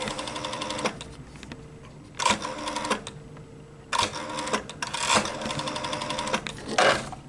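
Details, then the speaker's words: Rotary phone plugged straight into a 4G modem, without the pulse-tone converter: irregular bursts of dial clicks break into a steady line tone that never clears; the modem does not support pulse dialing, so it will not dial out. "As you can hear, it's not set pulse dialing these modems."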